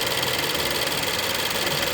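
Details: 2011 Volvo S60 T4 180 hp Powershift idling with quick, light knocking from the front left, near the turbo pipe and belt pulleys. It rises with slight throttle or quick steering turns and fades at higher rpm; owner suspects engine mounts. Cause not confirmed.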